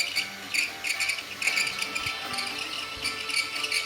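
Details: MSI GS65 laptop: sharp high chirps repeating a couple of times a second with no deep hum beneath; abnormal fan noise, cause unknown.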